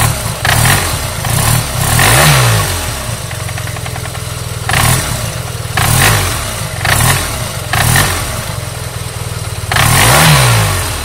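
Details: Yamaha TMax scooter, repeated throttle blips from idle: a clattery knock from inside the engine over the engine note as it revs; cause not yet known.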